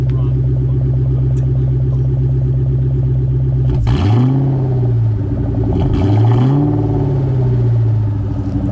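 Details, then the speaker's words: 2003 Mustang Mach 1 V8 after years of sitting, given gentle revs: steady idle with two clean throttle blips rising and falling smoothly, no misfire or rattle; healthy, though exhaust judged in need of replacement. "this idea good but yeah i agree it needs a new exhaust let's take the cats off"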